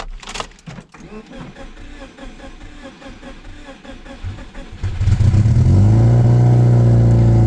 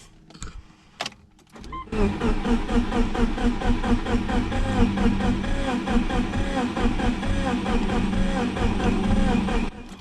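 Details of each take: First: Subaru Legacy GT project car, first start with no exhaust fitted, after replacing the main fuse and priming the fuel lines: a few seconds of cranking and clatter, then it catches into a loud, steady, even idle. Normal start and idle. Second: Subaru Legacy GT twin-scroll turbo project, first start attempt with no exhaust after replacing main fuse: starter cranks steadily with even compression pulses about eight seconds, never catches.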